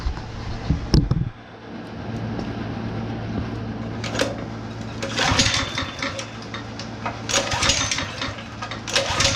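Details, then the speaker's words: Honda GX160 5.5HP on long-idle, abused concrete power trowel, switch on, choke open, starting fluid sprayed in: repeated recoil pulls rasp but engine never fires; no start, suspected carburetor issue. "okay that's not a good sign that it's not starting"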